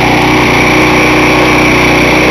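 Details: Briggs single-cylinder engine previously run without oil: deep cylinder-wall scoring, piston with about 1/4 inch side play, scored crankshaft, burnt valves, oil blowing from the crankcase breather. Reassembled with oil and started on ether, it runs harsh and rattly with a dry metallic edge: scoring and blow-by.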